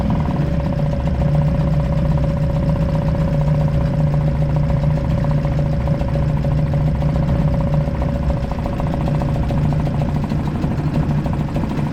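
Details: Suzuki DF 2.5 HP four-stroke outboard, run in water bucket after no-start traced to oil level sensor, oil barely in sight glass: smooth, even idle with steady hum, no misses or knocks; running normally.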